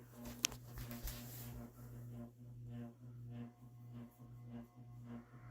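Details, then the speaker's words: Ceiling fan at Dad's house, running on high: faint steady low electrical hum with a higher buzzy overtone; motor has quite a buzz on high, cause unknown. "now it's got quite a buzz to it can you guys hear that oh God um that it has is not very good"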